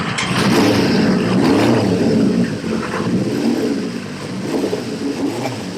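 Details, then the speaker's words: CB550 four-cylinder, long-sat project with a new battery, started stone cold on choke: it catches and revs up and down cleanly with a smooth, even exhaust note. Afterwards the number one carb is found overflowing petrol. "excellent that didn't sound bad either sided nice and sweet"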